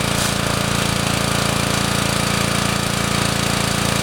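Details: Honda GC190 pressure washer engine, after carburetor cleaning and an oil change; it previously would not run without choke. Even, steady single-cylinder chug at constant speed with no hunting or misses; running properly.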